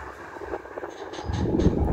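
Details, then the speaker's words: National F-EK 350 wall fan, modified with an exhaust-fan blade and repaired speed switch, at speed 3: strong steady rushing airflow with no rattle or scrape; runs healthily at top speed. "Speed 3. Waduh, makin kencang sobat."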